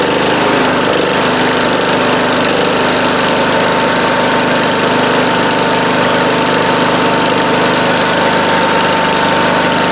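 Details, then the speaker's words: 1971 John Deere 140H3 with Kohler K321 single-cylinder, after carburetor rebuild and new float (fuel had been pouring out): steady, even, rapid beat with no misses or knocks; low-speed and main jets opened slightly. "Yeah, that sounds pretty good. It was running pretty good at low idle."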